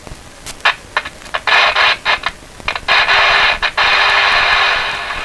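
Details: All-original Canadian RCA A-32 Globetrotter radio, about 70 years old, listening test: static hiss cutting in and out with crackly dropouts when changing bands, attributed to a dirty band switch; some static comes from the microphone.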